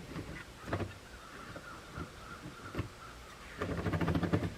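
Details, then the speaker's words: Athearn GP40X Norfolk Southern locomotive just oiled and placed back on track: quiet motor hum with scattered clicks, then a run of even clacks; a wheelset has derailed. "You hear that little extra clickety clack? That's the sure sign it's derailed."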